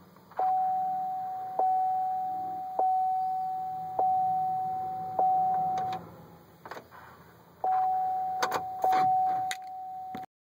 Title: Trailblazer won't start